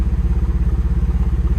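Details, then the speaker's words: Engine that won't rev after earlier fix attempt, no fault codes: heavy, lumpy, choppy pulsing as if running on only two cylinders; no misfires logged and vacuum drops, so injector fault suspected over spark; misfire when revving. "so there sounds like we lost a couple cylinders if you can hear that let's go in here it is not recognizing any misfires but we definitely are only running on like two cylinders"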